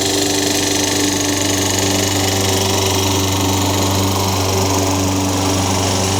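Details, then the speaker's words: Craftsman 22-inch mower, Tecumseh 6 hp, found in the rain, after a new Champion RJ19 plug and reassembly with air filter: steady even drone with constant low hum, no misses or surging; no smoke, no oil-burning smell. "sounds pretty good for being thrown away I think this engines gonna be alright I didn't see it smoking I didn't smell any oil burning"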